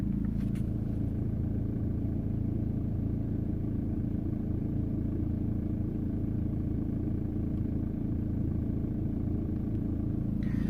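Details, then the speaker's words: 2003 VW Passat B5 1.9 TDI, 130 hp, idling: a light buzzing rattle from the engine area at the front rides on the low diesel rumble; intermittent, sometimes louder, sometimes periodic; engine cover removal made no difference, cause unknown. "this rattle is intermittent sometimes it goes quite some time it goes louder this is the loudest I would say"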